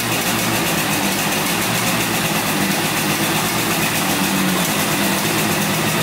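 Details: 1971 Yamaha CS200 two-stroke twin, sat over 17 years, on choke: steady buzzy beat holding an even idle with no misses or knocks, a little smoky; running well.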